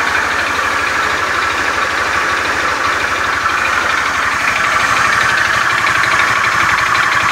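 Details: Beat FI scooter with a rough starter, idling in the workshop: a coarse klotok-klotok clatter of about four knocks per second over the engine note. The mechanic attributes it to a worn, damaged connecting rod.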